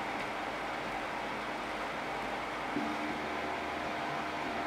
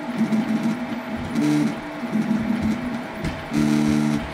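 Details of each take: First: Eight-year-old Prusa i3 clone 3D printer after A4988 stepper drivers were replaced with TMC2208s: only the steady power-supply fan hiss with faint soft motor tones underneath; the steppers now run quietly. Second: 8-year-old Prusa i3 clone 3D printer with original A4988 stepper drivers, before TMC2208 swap: loud buzzy singing stepper tones jumping in pitch with each move over faint fan hum; stepper motor noise from old A4988 drivers.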